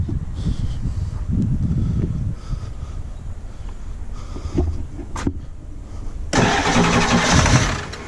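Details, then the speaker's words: 7.3 diesel truck run dry then refilled, key cycled to prime about 30 seconds: starter churns in two uneven bursts but never catches; air in the fuel system, later starts after repeated priming. "when you turn the key off when you turn the key off and you turn it back on it primes for like 30 seconds yeah so turn the key and just let it chill"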